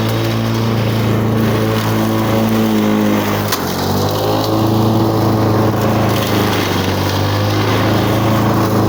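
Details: 1985 Lawn Boy model 7350 two-stroke mower, revived after sitting outside for at least three years, cutting weeds on raised wheels. Steady, buzzy drone that holds its pitch under load. Running well, though the owner says the RPM seems a little lower than it should be.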